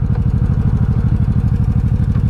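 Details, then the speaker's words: 1984 Honda Shadow 700 (VT700C) V-twin with fresh clutch and front brake fluid and new fork seals. Even, lumpy idle with low, steady exhaust pulses, no ticking or clatter; sounds good revved and quiet at idle. Normal idle. "She sounds good when you rev her. She's quiet when you don't. Look at that. She's so quiet."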